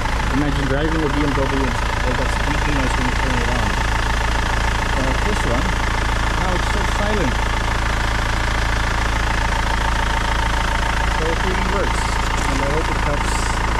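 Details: 2008 BMW 520d E60 diesel, belt squeak after new belts, tensioner, pulley, alternator bearings; after Permatex dielectric grease on serpentine and compressor belts: steady idle, even low clatter, no squeal or chirp; normal idle, fix temporary.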